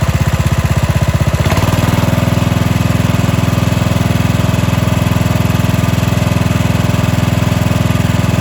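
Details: Cub Cadet 2146 lawn tractor with a 14 hp single-cylinder Linamar engine, revived after sitting 3 years, idled until hot: a deep, even single-cylinder thump settling into a steady idle with no misses or knocks. Normal idle.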